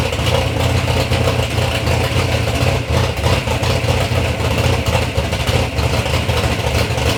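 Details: Third-gen Camaro with big-block Chevy V8, first start-up after years of building: loud, deep, lumpy rumble with light throttle blips and steady firing, no knocks or misses; normal, healthy running.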